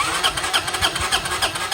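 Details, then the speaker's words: 1993 Honda Helix CN250 scooter with starting fluid sprayed, CDI light flashing: starter churns with uneven chugging strokes several times a second but never fires; no spark with aftermarket CDI and coil, stock replacements to be tried. "All right, let's see if we got spark. If I can do this with one hand and a foot here. No spark. Don't see a thing."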